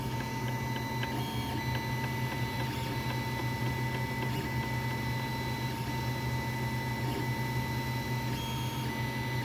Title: Ender 3 Pro makes weird knocking sounds